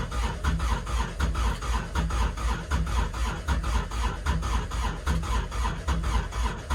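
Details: Kubota RTV900 diesel at -8°F: slow, labored cranking of roughly one compression pulse a second, never catching. Owner blames unpurged summer fuel gelled in the cold. Crank, no start.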